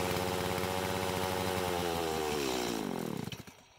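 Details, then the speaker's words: Stihl MS170 chainsaw after servicing the OEM carb: it runs at a high buzz, then the note sinks and sputters into dying pops and stalls as before; repairer believes it is running out of fuel, not the carb. "as you can see it did exactly the same thing which got me kind of worried that the issue was not related to the carb but I still believe it's running out of fuel and it wasn't the carb's fault"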